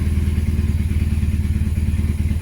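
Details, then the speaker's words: BMW R1150RT boxer twin after clutch and starter motor rebuild, tank drained and refilled with fresh fuel: even steady low thump with regular firing pulses, no stumble or miss; running beautifully now. "But yeah, I mean, it's running beautifully now, so well happy."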